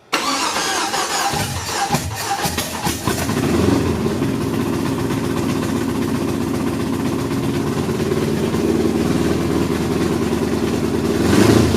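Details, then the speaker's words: Datsun 280Z with a freshly swapped LS V8, run at a slightly raised RPM to blow the spark plugs clean. It cranks and catches, then settles into a lumpy, uneven idle with an irregular stumble. The headers were grabbed to check each cylinder; several cylinders are misfiring. "We just grabbed each of the headers to see if we were firing on all cylinders because it sounds so terrible."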